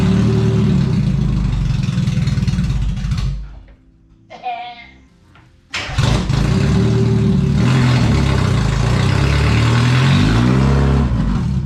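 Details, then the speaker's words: Mazda Miata before its new exhaust is installed, with the cat-back section off: harsh, raspy, buzzy drone at idle and on revs, ear-wrenchingly loud, sounding like a dying lawnmower. "i want to tripod to start up just so you can hear the before and after pulling off the card to see how ear-wrenchingly loud it is"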